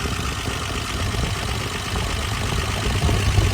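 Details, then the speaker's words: 1966 Dodge Dart GT with slant-six 225, idling with a low, even burble after the exhaust manifold leak was fixed. No ticking or puffing and no gas escaping; the leak noise is gone. "And I don't hear that noise. And the only heat I feel is coming off the manifold itself. So, I think this I think this issue is solved."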